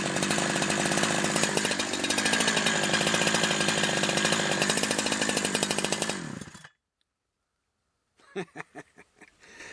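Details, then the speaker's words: Holzfforma G372 XP chainsaw, warm, after crank seal replacement: crisp high-revving buzz holding an even pitch about six seconds, then shut off. Most of the air leak that kept it from holding a tune is thought to be fixed, and it runs clean. "okay I think that fixed the majority of the leak issues"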